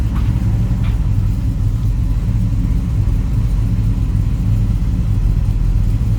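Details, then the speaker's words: 1963 Chevrolet Bel Air 2-door post, warm (not a cold start): deep, steady V8 idle with an even lumpy burble and no knocking or rattling. Sounds healthy. Normal idle. "This car sounds healthy."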